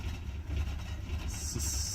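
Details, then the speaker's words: Mercedes 190E 2.0 converted to natural gas, idling on gas; target idle 700 rpm as on petrol, reads about 500. Uneven, lumpy low idle with a hiss rising midway while the idle mixture screw is adjusted; still rough from incorrect gas idle mixture. "better maybe I don't know it's still terrible still terrible that stays on let's stash this crew a little more"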